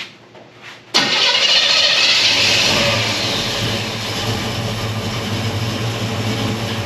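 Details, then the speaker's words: 1964 Chevelle with Holley carb after fixing a fuel delivery problem; started after an accelerator pump shot: brief crank, clean catch with rev flare, then even idle with oil pressure, no miss or stumble; normal start and idle. "well it sounds right idling decent we got oil pressure so far so good seems happy on the throttle"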